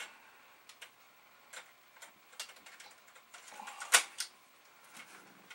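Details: Amiga 500 internal floppy drive, tested while still held in the case, booting Workbench: scattered light ticks and clicks from head seeks and a short buzzy burst as the disk loads; drive reads normally.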